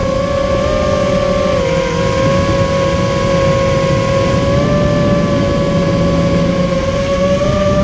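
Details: Immersion Vortex 250 Pro quadcopter motors on test run after fixing bad bearing sounds, which the owner thinks are fixed; one motor slightly warm: steady clean high whine holding level and climbing slightly, no gritty edge. Normal running.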